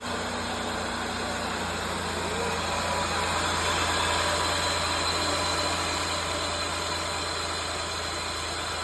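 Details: 2003 Mazda Tribute idling: steady rough whirring and faint hiss from the belt drive; owner first suspected the tensioner, but the noise came from a worn AC compressor pulley bearing.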